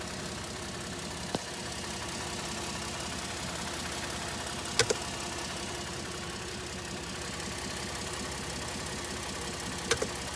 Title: 2013 F-150 3.5 EcoBoost strange noise by the intercooler